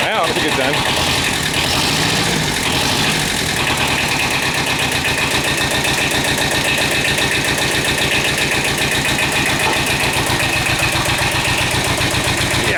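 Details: Kubota L-series two-cylinder diesel tractor (mid-70s) just started after repairing internal oil leak causing low oil pressure (camshaft aluminum plugs, per TSB), old oil still in, warming up; steady slightly lumpy chug, no knocks or rattles; normal idle.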